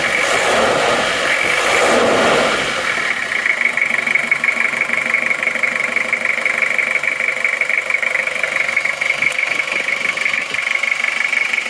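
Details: Toyota Kijang diesel 2L freshly started after rebuild for oil burning from 2 mm ring gap, new liners, original pistons reused: steady even idle with smooth clean rhythm, no knocking, clean exhaust, healthy.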